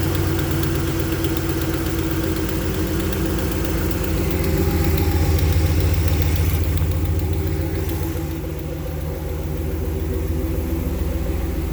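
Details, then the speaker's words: 2014 Ram 1500 ST 5.7 L Hemi V8, 63,000 miles, cold start at about 80 °F outside: steady light top-end ticking, tapping, clicking at idle, caused by a broken valve spring. "Got a ticking, tapping, clicking, whatever you want to call it, on a cold start."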